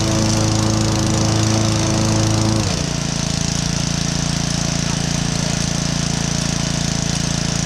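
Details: Honda 5.5 hp, 21-inch Kaaz Lawnflight Pro mower with roto clutch and power-assisted drive, started on choke with the top cover off. The drive doesn't work but the PTO spins. A steady engine drone settles slightly lower after a few seconds with no misses or knocks; the engine runs fine.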